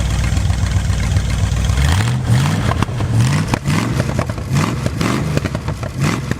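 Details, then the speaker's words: Abandoned muscle car (Satellite) V8 running after 35 years sitting, first start done: deep V8 idle with several sharp throttle blips rising and falling cleanly, no misfire; normal running engine. "definitely first year it's hard to keep working on this because I enjoy the engine running so good"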